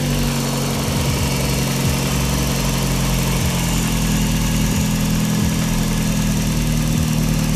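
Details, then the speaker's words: Daihatsu after alternator bearing replaced and bent pulley swapped: steady, even idle with low hum, no whine or chirp; alternator charging properly; normal idle. "sounds okay. As you can see, the alternator is still charging properly, so everything was okay."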